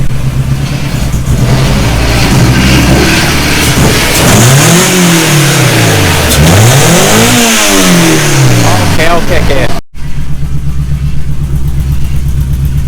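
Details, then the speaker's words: Honda Civic EG revved after replacing a bad number three injector with OBD2 injectors: revs up and falls back twice, pulling cleanly and evenly with no stumble or misfire. Smooth running. "So, it's a long disaster, but as you can hear, it sounds a lot better."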